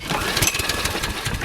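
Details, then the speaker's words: Toro Personal Pace Recycler mower model 20332, 7 hp, previously surging as if starving for fuel: brief ragged firing with uneven pops then dies, no steady idle; suspected fuel not getting through carburetor. "let me show you what it's doing here well actually what it's not doing is it's not [Music] starting and that is about as much as it'll go right there it's just not"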